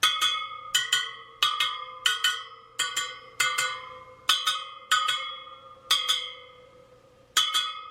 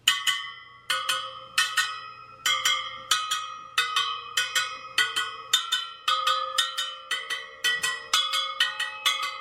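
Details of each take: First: Sur Ron Light Bee supermoto front wheel build, second round of pinging spokes, about one every 0.7 seconds: mostly same high pitch with one odd note, so that spoke is out of tension and gets a quarter turn. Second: Sur Ron Light Bee supermoto front wheel build, spokes pinged after tightening the nipples, a dead-sounding one given a quarter turn: crisp bright pings at similar high pitch, spokes sound evenly tight.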